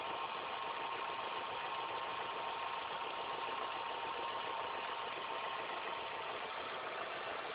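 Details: Engine idling after all belts, the timing belt and the tensioner were replaced: faint, constant high whine over the hiss at steady idle, something in the belt drive singing, cause unconfirmed.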